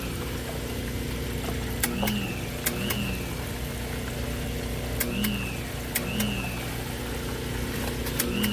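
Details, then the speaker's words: Pool pump with no flow (filter gauge reading zero): steady motor hum broken by paired sharp clicks every few seconds with brief chirps, caused by a bent prong; drawing too much amperage, risks overheating and burning out motor or timer. "you can see that the filter is reading zero not reading anything and the pump just clicks it'll overheat the pump that you're pulling too much amperage and you eventually blow that motor up"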